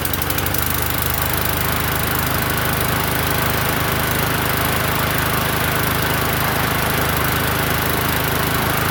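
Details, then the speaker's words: Murray 21" push mower, primed and started on the second pull: steady, even single-cylinder buzz at constant speed with no surging, misfires or knocks; running healthy. "So, second second pull. That's not too bad."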